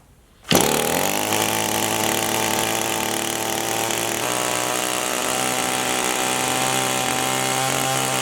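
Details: Echo 2-stroke tool carburetor (same adjustment as the HC-152) held at full throttle: a loud high buzz whose pitch sags as the mixture screw is turned clockwise, lowering engine speed.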